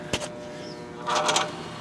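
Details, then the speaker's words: 1960s American-made Craftsman horizontal bandsaw, unknown when it last ran, switched on from a dead stop: a click, then a steady electrical hum with a brief buzzy rattle as the motor fails to start. The start capacitor is at fault. "Okay. Yeah, that tells me the start capacitor. This thing right here is having issues. So the start capacitor gives it the extra jolt to get the motor started."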